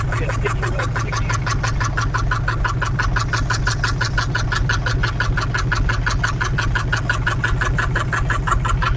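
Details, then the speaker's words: 1968 Camaro 327 V8 with Muncie 4-speed, revived after 15+ years disassembled: steady fast light ticking over a lumpy idle, not the usual knock; suspected distributor, unconfirmed. "Sounds like it's the distributor to me."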